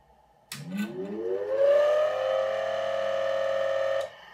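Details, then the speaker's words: Micafil Swiss transformer winding machine motor, clamped to a desk for a bench test. It spins up with a rising whine into a steady hum with a faint rough edge; the motor bearings are suspected. "sounds like the bearings are not happy inside the motor but for the time being that's not my biggest concern"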